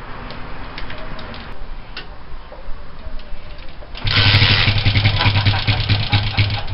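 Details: Honda CG125 (Brazil) rebuild project bike with a new pod filter and tickled carb. On the second attempt, after several seconds of ticks and cranking, the single catches and runs with a steady thumping beat. It starts.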